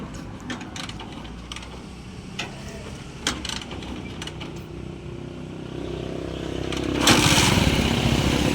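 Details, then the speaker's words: Honda TMX 155 single after replacing faulty CDI with an XRM 110 CDI: revs cleanly with no misfire, running smoothly now. "Okay. Nawala na yung palya mawala-walang palya."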